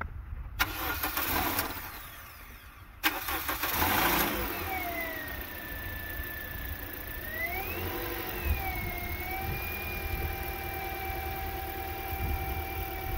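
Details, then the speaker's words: 2010 Toyota Corolla 1.8L 2ZR-FE dual VVT-i after alternator replacement and radiator neck repair: quick crank, clean catch, brief flare, then smooth even idle with faint belt whirr; normal start and idle. "She's purring like a kitten. That's what I wanted to hear."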